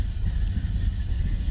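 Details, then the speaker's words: 1990 Camaro, SBC 350 V8 with Vortec heads, Holley Sniper EFI, Flowmaster mufflers, after head gasket replacement, cold start after sitting a week: deep, steady low rumble with even pulsing, no misses or knocks; idling properly. "started up pretty good Eiling right around where it should be this is cold start"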